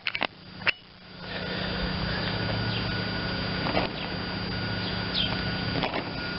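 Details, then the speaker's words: John Deere LT160 automatic lawn tractor, Kohler Command 16hp engine, first start since acquired, on jump pack: catches and runs flat-out at high steady revs; governor rod stuck at full throttle. "okay it started but i think the uh carburetor lever might be stuck on full bore so let me see what's going on with that"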